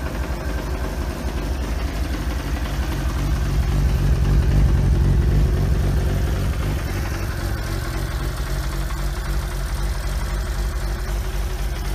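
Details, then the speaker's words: Used motorcycle at steady idle with even, rapid light clock-like ticking over the low rumble; valves may be faulty and need clearance adjustment. "ecnebi buna talking no istiyor yani sanki bir saat sıkılıyormuş gibi bir ses veriyor bu sesi arkaya ekliyorum ve Bu sese benzer bir şey duyuyorsanız yani subaplar problemli olabilir ayar gerekli"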